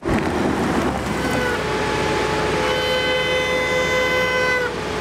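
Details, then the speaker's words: BMW M high-performance brakes (M Compound / carbon ceramic): a steady horn-like wet honk just before stopping after driving on the wet steering skid pad. Water got between the discs and pads. "And just to come back to the noise we heard before, this is a classic example of wet honking. While driving during our run on the wet steering skid pad, a considerable amount of water penetrated between the discs and the pads, generating"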